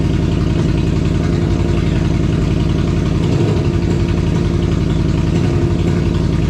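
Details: 2002 Yamaha Venture Midnight Edition touring motorcycle, fully reassembled after fuel pump, fuel filter, battery and clutch bleed work, restarted after battery went dead from key left on: steady, even low idle with fast slightly loose pulse, no knocks, no leaks; healthy.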